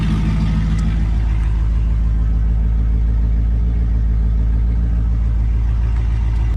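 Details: LS1 V8-swapped Nissan Patrol, first start after sitting a while on a freezing day, backfired during cranking, fuel possibly low; deep steady rumble with slight cam lope, even firing, no knocks; healthy cold-start idle.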